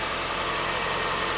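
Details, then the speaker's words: Reassembled parted-out Toyota Starlet idling after an earlier startup squeal cleared itself: short stretch of quiet, even idle hum with no knocks, misses or ticks; normal idle. "again looks and sounds fine sigma you can see why i love these things"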